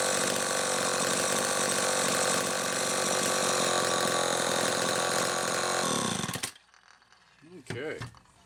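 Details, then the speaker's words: Homelite XL-12 chainsaw, final test run after an ignition repair (misaligned coil bracket, missing flywheel-nut lock washer fixed): a high, steady two-stroke howl holding firm under the cut, then a clean shutoff; running normally under load. "okay let's do a final test run on ted's xl12"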